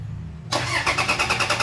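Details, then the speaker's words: 2012 Toyota Fortuner that suddenly died on the road: starter cranks with even compression pulses about eight a second but never fires; crank no start, immobilizer fault, key and ECM losing communication, possibly from tapped accessory wiring. "Kasi nawawalan ng communication yung ecm sa may ano nawalan ng hindi sila naguusap yung susi sa may ecm maguusap hindi ako magaling magpaliwanag dito guys ung mga immobilizer na yan"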